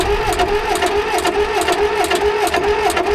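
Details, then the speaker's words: Old CAT D8 dozer that hasn't run in decades, pony starter engine with rebuilt carburetor cranking the diesel with no choke: steady rhythmic cranking about two turns a second, something coming out of the exhaust but it never fires; still cold, cause unconfirmed. "I mean there's something coming up out of the exhaust not lighting off like I was hoping"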